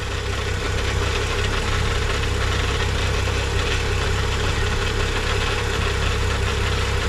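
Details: Freshly rebuilt BMW N55 in stationary break-in, warming up while the transmission is filled, idle varied 1500–2500 rpm: steady, even idle with smooth low rumble and no knocks or ticks; running cleanly.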